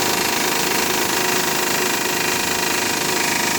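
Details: Honda Pilot right after a cold start: fast, busy, fairly even rattle over the idle, lasting about 10 minutes on first start of the day then running perfectly; source not yet known.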